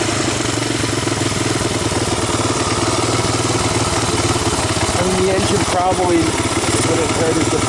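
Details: 1985 Honda ATC250ES Big Red single-cylinder after carburetor swap and adjustments, warmed up, choke off: steady, even putter with slight lumpy beat; valves untouched; not a bad idle; normal idle.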